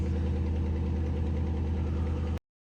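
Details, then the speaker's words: 2006 Chrysler 300C 5.7 HEMI after a no-crank no-start was fixed by fully reseating a loose starter connector and cleaning corroded terminals: starts right up to a smooth, even low idle, no knocks, misses or surging; healthy. "so now that I got the connector figured out let's let's start it [Music] [Applause] up look at that start it right"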